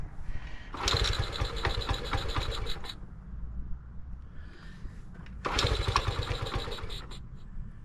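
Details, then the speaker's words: 1975 Honda ST90, cold, on choke: two rough bursts of a couple seconds where the small single catches then dies; reluctant cold start, briefly firing. "hear that it actually ran for a second"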